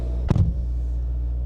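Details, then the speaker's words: Car at a salvage auction on a cold morning, heard from inside the cabin while idling a bit high. A steady, deep droning rumble with one brief thump: loud exhaust. "yeah you can still hear that exhaust that's a loud exhaust"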